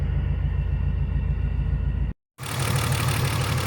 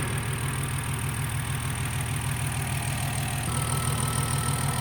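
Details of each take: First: BMW E46 M54B30 with MS43 ECU, just after M56 valve cover install and pencil coil retrofit, first start: lumpy, uneven idle with a steady stumble; cylinder 2 misfiring, moved with coil swap, so a bad ignition coil. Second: BMW E46 M54B30 with M56 valve cover, MS43 ECU and pencil coils, after installing a salvage-yard coil: smooth even idle on all cylinders with quick light ticking that is just the loud fuel injectors; engine healthy.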